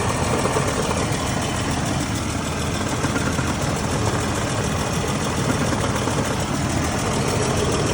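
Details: 4L30E automatic transmission at idle: a steady, dense, gritty whirring hum, an abnormal transmission noise.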